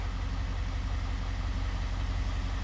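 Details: 2024 Ford F-250 Super Duty 6.7 L diesel, first start after an oil and fuel filter change, run briefly: deep, steady rumble with an even beat and no knocks or rattles, so the idle is normal.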